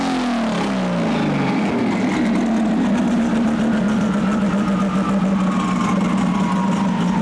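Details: RB-engined race car with twin CDI boxes: hard pull then steady rough drone with uneven stumbling note; one cylinder misfiring under load, compression over 100 rules out compression or valves, plan to swap CDI boxes to see if it moves.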